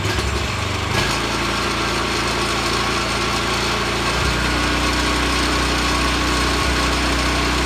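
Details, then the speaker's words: Vanguard 9 hp single-cylinder tractor engine, final run after freeing sticking throttle lever with WD-40: catches on first pull, settles into steady even thump, no stumbling, some frame rattle/vibration; running normally. "shot some WD40 into this accelerator switch or accelerator or throttle lever freed it right up so now she runs good so here is the final final run one pull crew baby"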